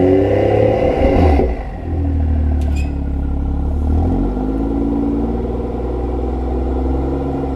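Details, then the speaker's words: BMW M2 LCI with IPE exhaust on factory valve actuators, cold start: revving with loose metallic clatter on the exhaust note, worse with valves closed; suspected weak actuator spring tension rattling exhaust valve. "Rattle? Yeah. So it does it worse when the valves are open."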